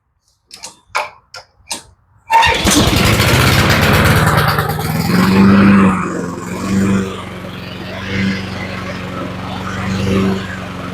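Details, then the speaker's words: Honda HRT216 (Harmony II) mower after sitting for years, restarted after new air filter and fresh fuel: a few cord pulls, then it catches on full choke and runs steady and even; engine sounds good, only needs a drive belt. "But other than that, she sounds okay. So the motor sounds pretty good, but it does need a drive belt."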